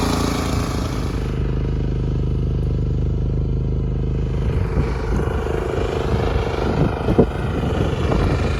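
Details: Lifan C192F single-cylinder engine on a mini tractor built from a LuAZ, after a key (шпонка) repair: steady even thump with no clatter, then some load change; normal running.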